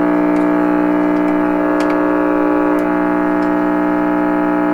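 A steady, loud droning howl with a stack of overtones holds unchanged throughout; the receiver is oscillating, cause not yet pinned down. Cause suspected, not confirmed.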